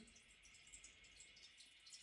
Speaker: Constantly running water. So what happened with this is this flap here goes bad. The toilet flapper and chain, okay, it goes bad over time.